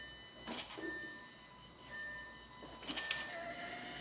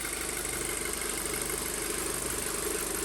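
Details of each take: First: 2007 Audi A4 2.0 FSI/TFSI with 141K miles, first start after engine rebuild for low oil pressure: starter cranks over six seconds without firing, sounding like it isn't getting fuel; hard starting from fuel starvation. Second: 2007 Audi A4 2.0 FSI, 141K miles, after rebuild and misfire fix: steady idle just below 1000 rpm, slightly high with a little shimmy, no misfires or check engine lights, possibly ECU recalibrating; normal idle.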